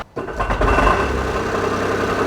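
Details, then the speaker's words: Smart car at start-up: cranking catches into rough idle with loose metallic rattle from between engine and gearbox; pressure plate suspected after research, unconfirmed. "before the engines even running it KN rattles about"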